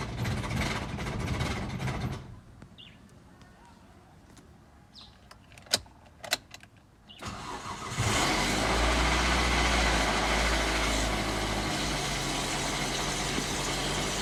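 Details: Toyota Corolla 3ZZ engine: after a few quiet clicks it fires and settles into steady idle with a light, quick metallic rattle over it; cause undetermined.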